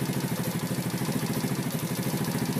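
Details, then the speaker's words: Racer moped with a CF Moto 2V91W single-cylinder engine, idling, generator around 14 V AC: connecting the generator audibly drags the engine down under load. A shorted, faulty voltage regulator was found; with it disconnected the short was gone. "Подключаем генератор. Даже по двигателю слышно, что нагрузка"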